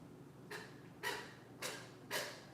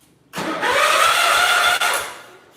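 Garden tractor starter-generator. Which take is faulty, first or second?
first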